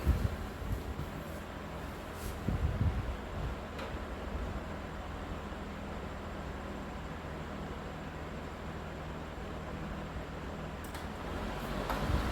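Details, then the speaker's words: Vintage Emerson box fan, all original-looking including the capacitor, cleaned with motor oiled, on high speed in exhaust mode: low, steady airy whoosh with a soft motor hum and no rattles or scraping. Fairly quiet and even; normal running on high. "Pretty quiet fan too. I mean, it's not the quietest fan, but I really like the way these sound."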